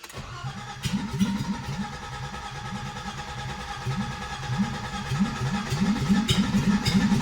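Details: 1987 BMW E30 325iS, M20B27 Super ETA engine, first start after build with new exhaust: engine catches and runs lumpy and uneven, surging as throttle is held to keep it alive; rough idle, stalls without throttle, cause unconfirmed.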